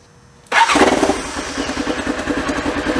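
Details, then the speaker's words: Polaris Ranger engine after a loose timing chain was fixed: cranks, catches and settles into an even, steady idle, much quieter, with no ticking over the top. The ticking had sounded like an engine tick but came from the timing chain. "Much quieter! Really should have done it before and after, because this thing was ticking so loud."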